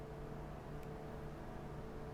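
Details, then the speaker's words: PC in a DeepCool Quadstellar case (i7-7820X, ASUS Strix 1080 Ti, Corsair H150i Pro) at idle, with Quadstellar fans and MF120s on the regular fan profile: quiet, even airflow hiss with a faint steady hum, no rattle; normal fan noise. "Now, the testing was done on regular fan setting on both the Quadstellar fans as well as the MF120s. And this is what it sounds like, guys, with the regular fan profile on here on idle."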